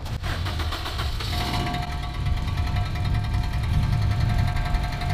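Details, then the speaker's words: Freshly tuned 400 hp race Honda after a launch control session, restarted at idle with the hood open. Heavy, steady low knock with lighter ticking on top that seems to come toward the exhaust; bearings or a bent valve suspected, source unknown: engine knocking. "It really doesn't sound good. Okay, we'll bring it inside and then we'll take a look from there. Wow, this thing is ticking, guys, like a time bomb."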